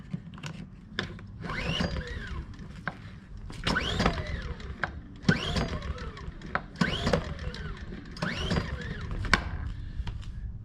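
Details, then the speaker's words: Ryobi inverter generator no-start: repeated recoil pulls about every two seconds, engine never catches; choke not closing fully because a broken plastic part, so it won't fire; starts with starter fluid. "choked but it won't start i generally don't like things that are made out of plastic and it's because they break this thing the generator is nice but the little uh the knob here that keeps the door shut something in there broke of course it's plastic"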